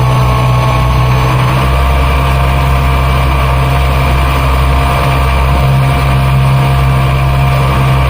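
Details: Mercury Verado 350 outboard running wide open with the top cowling off, a smooth low drone with a faint higher whine at steady speed; normal supercharger whine, louder without the cover's isolation.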